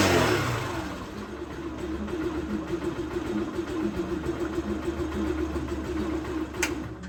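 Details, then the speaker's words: Yumbo GS 125 single-cylinder motorcycle, new engine with original exhaust, not fully run in, just after valve clearance adjustment: short blip on start, then an even, quiet putter with no valve tapping; healthy normal idle. "good very well friends there we learned I passed this side and we learned we have practically no sound this engine was a new engine"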